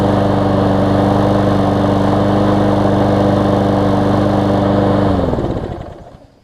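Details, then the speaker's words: Newer Lawn Boy mower, warm after about ten minutes running, carb cleaned for occasional no-start when warm: runs smooth and even at steady speed, then winds down cleanly on shutoff; restarting well. "so it seems to be restarting well"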